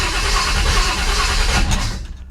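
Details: Rebuilt 1957 Chevy Bel Air on its first start with a newly set distributor and no coolant yet: steady cranking for about a second and a half that never catches, a slow, reluctant start, then it backfires through the carburetor.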